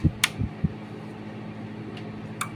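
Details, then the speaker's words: Jaguar 4-channel amplifier being repaired, after resoldering restored the negative supply to the main amp: a few crisp relay clicks over a faint hum at power-up as the relay pulls in normally; a swollen, blackened capacitor is to be replaced. "Ayun, nag-on siya. Yan. Ulitin ko. Pakinggan natin ang relay. Ayun. So nag-on siya."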